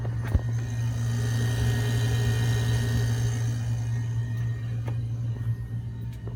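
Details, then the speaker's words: Cabin air conditioner with electronic AC thermostat on a Cruisers Yacht 340 Express Cruiser, running very well: a steady low hum holding one even pitch with no knocks, squeals or cycling. "Has electronic AC thermostat. Right now it's running very well. You can hear it."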